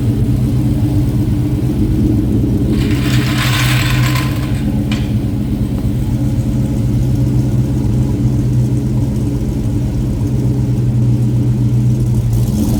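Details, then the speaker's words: 7.3 Godzilla V8 engine swap, first start after an ECU hardware update, TPS auto-set and a calibrated throttle body: deep, steady rumble with even firing and no misses or hunting, normal running. "How good did that sound?"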